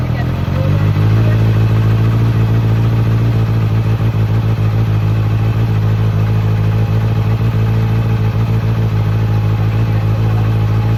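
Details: 2008 Kawasaki ZX6R after cleaning the fuel pump assembly (bike wouldn't go over certain rpm): steady even four-cylinder idle with smooth low drone, no misses or surging; running fine.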